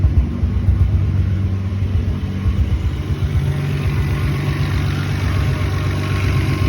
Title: 7mge rough idle